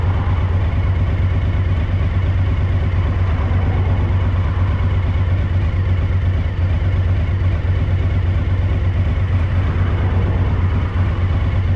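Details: Suzuki DL1000 at idle: deep, loud, uneven lumpy beat, about three stumbling pulses a second, from a rear cylinder misfire.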